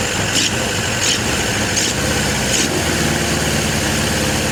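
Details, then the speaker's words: Suzuki GS750 four-cylinder motorcycle, about 23,000 on the odometer, airbox off, running out of fuel: steady even idle, no misses or surging; runs well, may still need valve adjustment and needle and seats. "So, it runs. Don't sound half bad."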